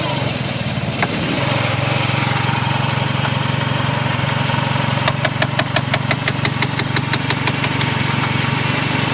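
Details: 1G Eagle Talon AWD at idle: sharp, regular ticks about three per second. Owner is unsure whether it is rod knock, a dead lifter, a binding valve spring or a failed transmission. Engine knock, source unconfirmed.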